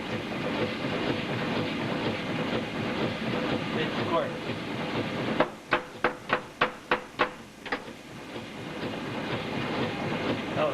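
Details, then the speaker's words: Steam car boiler feed pump, short-stroke fast-running type (1¼-inch stroke off a rocker, engine speed), bypass closed: steady hiss then about eight sharp evenly spaced clicks; pumping normally against boiler pressure, heard from back pump. "Now she's pumping against boiler pressure. See? Now that's just the back pump we're getting here."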